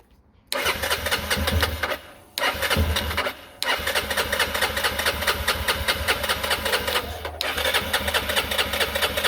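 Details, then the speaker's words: 2021 Yamaha XT250, 252 miles, sat since 2022, after fixing the fuel issue and priming the fuel pump several times: the single fires after a couple of short catches and settles into a quick, even idle; now starts and runs. "that was the issue the whole time I was getting a little bit worried it wasn't starting"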